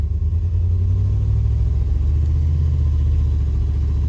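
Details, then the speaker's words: 1996 Chevy C1500 Suburban, 4L60E transmission stuck in limp mode, with failing shift solenoids found as the cause; it won't engage some gears. A steady low engine drone holds revs with no shift under load. Engine revving without proper shift. "that is a 1996 c 1500 suburban transmission is in limp mode constantly"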